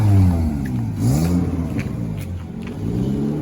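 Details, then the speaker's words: 1996 Volvo 850 2.5 non-turbo, lowered, with newly fabricated exhaust from surplus and scrap parts (previously had none): clean deep drone rising and falling smoothly with throttle blips, no rasp, ticking or leaks; healthy exhaust. "Sounds much better."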